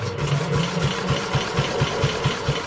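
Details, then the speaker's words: WWII Chore Horse 300 W battery charging set, model CH1 395-5, single-cylinder engine, cranked during a compression test reading about 70 psi, correct spec unknown; steady cranking with about four even, equally firm thumps a second; normal cranking compression. "Okay, so it's got about 70 psi, so I don't know what the compression should be."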